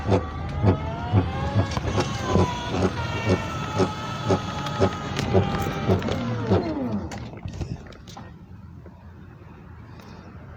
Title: Scooter grinding noise